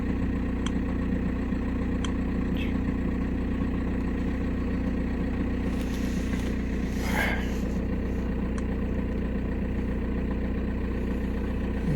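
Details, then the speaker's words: 2006 VW Passat B6 1.9 PD TDI, 318,000 km, which would only start in 1st gear because of under-hood wiring faults: after repair, started and idling with a steady, even diesel rumble, smooth and healthy; check-engine light on. "мотору все ровно мотор работает ровно уверенно"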